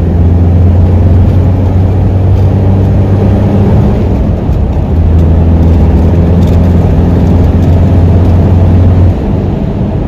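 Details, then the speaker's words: Toyota 1KZ turbo diesel with a bigger turbo, driving on a road test after the viscous fan hub was refilled with silicone oil: loud steady fan roar over a low hum plus turbo induction noise; everything sounds healthy. "now you can distinctly hear that fan noise it's got a pretty loud abduction on this thing since a bigger turbo has been put on [Music]"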